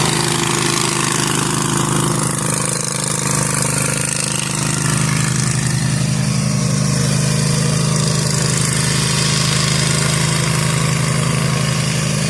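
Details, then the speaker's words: Zero-turn lawn mower cutting overgrown grass after repair with new deck spindles and bearings: steady engine drone, even deck hum, no grinding or bearing whine. The spindles are so quiet the blades seemed off, and the mower sounds healthy. "These bearings on these new spindles are so quiet. Like I literally didn't even know if the blades kicked on at first because it"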